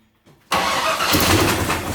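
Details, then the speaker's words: 1980 GMC C35 truck, off road since 2007, fresh gasoline and carb bowls filled, choke cable sticking: silence, then starter engages and engine churns loudly and raggedly over a second trying to catch; a spark plug was still out. "oh yeah she's gonna fire that's for sure that joke cable stuck a little bit of gas"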